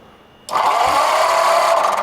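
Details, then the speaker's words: Barn-find flathead V8 on homemade run stand, cranking during compression test: smooth, even starter whirr with no compression chug; zero compression, finger over plug hole, valves seen not moving, stuck valves suspected. "That's zero. Finger over hole. Zero. Zero."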